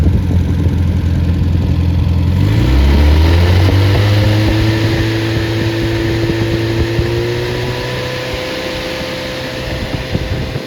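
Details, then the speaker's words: Freshly rebuilt MG Midget 1500 engine (Triumph Spitfire type), 270 cam, flat-top pistons, about 9.5:1 compression, first run: fires within seconds, revs briefly, settles into even idle rising gently as it warms, no knocking; normal running. "so it's just like a light new engine and uh it runs like it"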